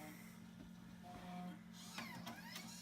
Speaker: hard drive does not work output does not boot from floppy